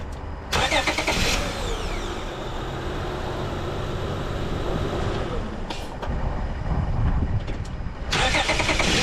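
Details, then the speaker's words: 2005 Honda Odyssey after starter replacement (previously only clicking): brief crank that catches quickly and settles into a steady idle; cranks and starts cleanly. "got him all right she runs that's great that's one uh one item off my list"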